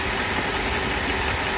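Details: 1994 Mercedes S420 V8 after misfire repair, idling in cool night air: even, balanced idle with no stumble or miss; a can and a socket set on the engine cover do not fall.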